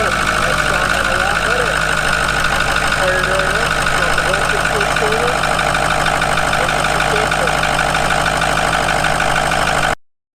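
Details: 2004 Ford F250 6.0 diesel idling after the FICM power supply board replacement, done for a FICM voltage problem. Steady, even clatter with no stumbling, running cleanly.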